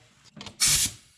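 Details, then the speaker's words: Turbo engine intake pressurized with a boost leak tester during a boost leak test: sharp burst of hissing air as pressure escapes; the boots won't firm up or hold any boost, showing a huge leak, checked next by spraying soapy water on the joints. "so now I'm just kind of feeling the boot to see how how hard they're getting and this thing's not holding any boost it's got a huge leak"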